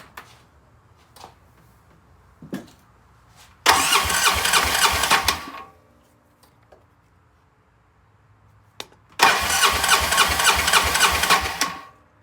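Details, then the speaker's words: Polaris RZR 800 with a smoking engine, compression test with spark plugs out and injectors and fuel pump unplugged: two bursts of fast, even starter cranking with no firing; compression uneven between cylinders but within Polaris's 150–200 psi spec. "All right, now let's crank it over and see what we got for compression."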